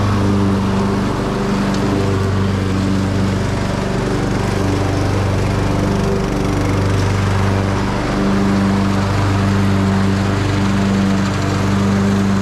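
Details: Craftsman YT3000 riding mower after valve cover gasket, tie rod, drag link and deck belt replacement: smooth, steady engine drone at constant speed with no misses, knocks or surging; normal running.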